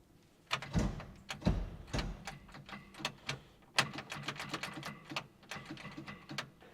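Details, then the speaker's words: 1970 Chevrolet K10 4x4, 350 V8 abandoned 26 years: scattered heavy clunks and clicks, starter bangs but engine barely turns; seized engine. "sound like it went a little ways you don't supp we got a stuck 350 do you well it ain't happy"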